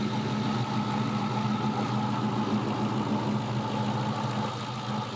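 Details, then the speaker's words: 2000 Ford Mustang GT 4.6 V8 with cold air intake and new alternator, steady even idle with smooth low rumble and no knocks despite one leaking fuel injector O-ring; normal idle. "I don't know, motor sounds pretty good though."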